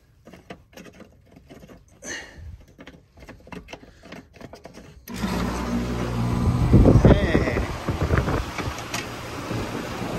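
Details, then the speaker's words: Heat pump outdoor unit that would not run, after replacing a burnt contactor and a burnt wire and tightening connections: quiet clicks, then fan and compressor kick in to a steady even hum; running normally, about 20-degree rise in heat. "sweet so she's back up and running"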